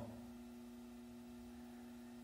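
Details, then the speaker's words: Ventisol fan brought in for noise and a seized blade, found missing the blade-locking part: motor runs at speeds 1-3 with steady low hum, soft constant tone, no rattle or rubbing; motor mechanically normal. "Esse é o barulho comum normal do ventilador tá então ele não tem problema mecânico no seu motor tá normal"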